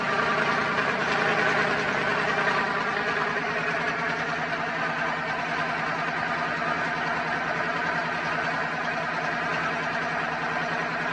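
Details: Twin-turbo Dodge truck, started on a freshly charged battery after all vacuum lines were replaced to fix a driver-side leak from turbo to wastegate, not yet tuned: a steady, even idle with a smooth mid-pitched drone and no knocks or hiss. Running healthy.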